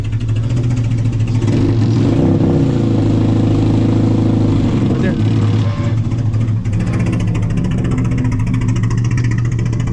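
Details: Car: revving uneven and choppy with stumbling pulses and a buzzy, motorcycle-like note; misfire-like, owner plans stock injectors to rule it out.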